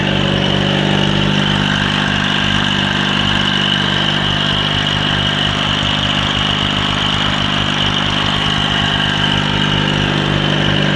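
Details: Cub Cadet 782 garden tractor fitted with 42-inch snowblower: small single-cylinder engine holds an even, steady idle with a regular beat, no misses or knocks; normal healthy idle.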